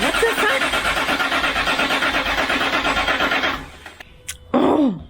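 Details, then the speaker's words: 2006 Land Rover Discovery 3 2.7L TDV6 diesel after a full engine rebuild: rhythmic cranking for about 3.5 seconds with no firing. It cranks but won't start, traced to a faulty crankshaft sensor trigger signal with no fault code stored. "the tdv6 does not need much to start okay it needs needs fuel it needs a functioning crankshaft sensor and that's really it"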